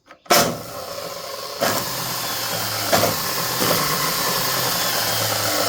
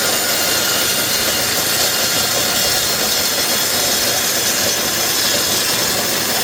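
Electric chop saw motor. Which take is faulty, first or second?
first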